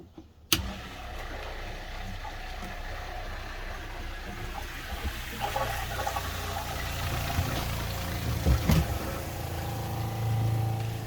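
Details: Truma Ultrastore water heater system in a van, after fixing a leaking heater fitting, hot tap open to purge air: the pump kicks on and settles into a steady low hum with water moving through the lines, no strain.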